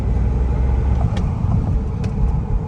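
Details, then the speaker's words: Rebuilt Volvo S40 T5 on its first drive after sitting: a steady, smooth low rumble with light revving and an occasional faint turbo hiss; the brakes were slightly seized but the engine runs normally and checks out fine. "but other than that it's running good um yeah there's not really much more I can say everything's checking out fine right now"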